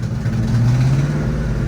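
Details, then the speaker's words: Engine under gradually increasing throttle, boost leak still unfound: low drone bogs and wavers, never picking up cleanly, sounds like it wants to die; owner suspects refitted stock injectors aren't supplying enough fuel. "sounds like it wants to die i think it's because i put these stock injectors back on and it's not getting enough gas"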